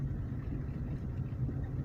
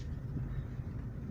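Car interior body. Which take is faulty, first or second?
first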